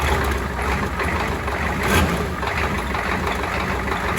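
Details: Ford 7.3 IDI diesel, first run after a Banks turbo install with new oil lines: steady, even diesel clatter with a deep rumble, no misses or surges, no oil leaking seen; normal diesel idle.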